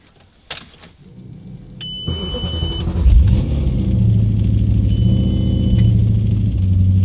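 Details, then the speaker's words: Audi B7 RS4 being diagnosed for EPC, CEL and traction control faults, cold start after sensor work: engine catches, thin high squeal over idle for a second, returns briefly, then fades; cold start screech, source unknown, no EPC light. "what is this screeching sound it's making no EPC light I'm kind of happy what the is that sound see there it goes it's gone that sound just completely went away something isn't happy in there when it's [Music] cold"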